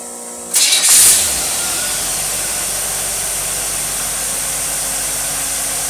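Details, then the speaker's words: Rochester two-barrel carburetor with manual choke, tested on a running engine: it catches at once, flares briefly, then settles into a steady, even idle with no misses or stumbles. Normal idle from a healthy carburetor. "that's the fantastic running carburetor it really really is"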